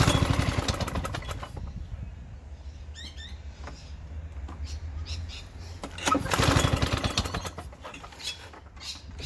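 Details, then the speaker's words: Victa Sunbeam lawn mower from about the mid-1970s with carburetor borrowed from another mower: catches, fades and sputters, then surges back, running unevenly; took a while to start, owner thinks a carburetor clean will fix it. "That was okay. It took a little bit to get it going, but um I dare say a good carburetor clean will fix that."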